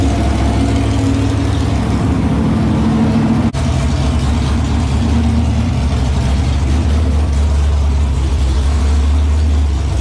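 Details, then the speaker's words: Ron's new 408 small block Mopar V8 during flat tappet cam break-in: steady V8 rumble with only a faint exhaust-like tick, barely noticeable; the ticking was found to be the header tapping the oil pan. "i don't hear it at all you can hear it but it's not as bad it's because the exhaust like it's it's a little bit of tapping"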